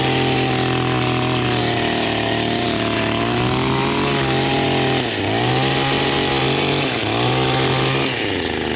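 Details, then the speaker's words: Small two-stroke engine after flooding with wet spark plug cleared; crisp high buzz holding steady, dipping briefly under cutting load and recovering cleanly; running properly. "so remember down is on up is off i might have to use a sticker or something anyway it works great"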